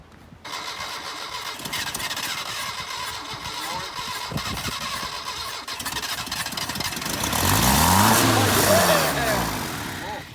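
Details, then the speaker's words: 1978 Datsun 1500 Ute GN620 first start after 20 years parked in a shed: long cranking with the accelerator floored, only stray catches, then it briefly fires and revs unevenly before dying; sounds fuel-starved, petrol then added. "Oh, wants to run. Put your foot flat on the accelerator. Crank it. She wants the fire."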